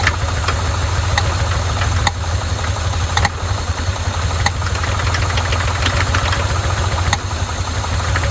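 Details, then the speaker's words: Neglected, vandalized 1981 Chevy K10 square body, first run-up with fuel pump hooked up, leaking fuel and backfiring; rough lumpy idle with sharp uneven ticks, owner suspects a valve train issue, not yet confirmed. "definitely got some kind of valve train issue going on here."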